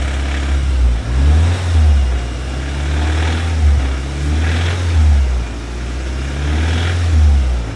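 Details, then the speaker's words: Audi S1 driving on the road pulling hard, deep heavy pulsing under the drone alongside flywheel chatter; sounds bad, conrod bearing play suspected, sump to be removed; bottom end knock. "Yeah, that sounds bad, doesn't it? Yeah, not good. Not good at all. Let's take the sump off and see what we find. I should be able to hopefully just feel play in the conrod bearings."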